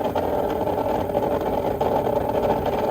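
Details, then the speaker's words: Old above-ground pool pump converted to pond transfer pump, no filter: steady motor hum with buzzy midrange, no water rush; pump running dry, needs priming. "Yeah, that's not gonna work. Gonna have to prime it first."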